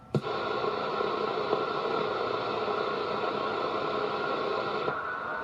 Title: Constant on and off noise on my radio